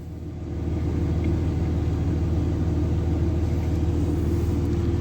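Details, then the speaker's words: 2003 Dodge Ram 3500 dually diesel idling, temperature gauge just starting to rise, oil pressure good: steady, even low rumble at constant idle, no knocks or misses; normal idle. "Wow, it's running great. Oh, I can see the temperature gauge is just starting to come up now."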